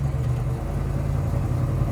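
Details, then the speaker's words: 1970 Chevrolet Chevelle Malibu SS clone restomod, big-block V8, back on the gas after braking from about 35 mph: deep, even rumble pulling smoothly on light throttle, no knocks or misses; healthy engine. "sounds incredible man this car sounds incredible"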